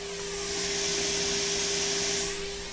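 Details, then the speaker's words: Restored Fisher 800B receiver FM tuner fed about 1 microvolt at the antenna input: loud steady static hiss with the 400 Hz test tone barely audible through it; normal for the tuner at its sensitivity limit. "you can hear a lot of static right but looking on the oscilloscope it's turned into too much noise but you can just barely follow that pattern of that 400 hertz it's still in there"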